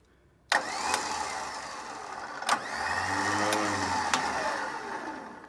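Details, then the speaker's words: New replacement Kings winch just installed on a 4WD, tested forwards and backwards: a steady electric motor whine each way with clean clunks at start and stop; the winch works properly. "and we have forwards and backwards"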